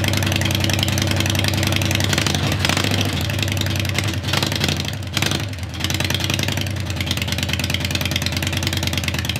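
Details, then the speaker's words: 1996 Harley Heritage Softail Nostalgia Evo V-twin, sat for years, just revived: slow slightly lumpy cold idle with a brief dip midway, normal. "well still cold foreign all right y'all well thanks for sticking with us getting this old Evo bike running that's been sitting for a long time"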